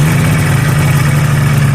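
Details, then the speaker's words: 1985 Yamaha Phazer snowmobile, two-stroke, cold start on choke after carburettor cleaning, compression over 100 PSI per cylinder: loud buzzy idle with wavering drone, beat not steady; low-speed idle still being tuned, owner suspects a seal. "we're still dialing in the tuning and the low-speed kind of idle and weird but maybe has a seal"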